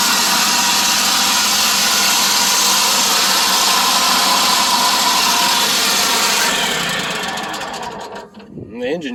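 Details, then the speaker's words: John Deere Z920M commercial zero-turn mower, 627 hours: harsh rough whirring over the engine until it suddenly shuts off; bad drive belt idler pulley, possibly also drive belt tensioner arm bearings. "Now what I was expecting you guys to hear when I first cranked it up was that I could tell that the drive belt idler is bad. And possibly also the drive belt tensioner arm bearings are bad."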